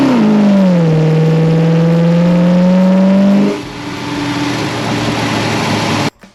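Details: 1970 Plymouth Road Runner V8 with six-barrel setup (mechanical linkage to center carb), Air Grabber, original exhaust manifolds, on final shakedown drive: clean smooth acceleration through the revs and lift-off with no backfires or misfires; normal.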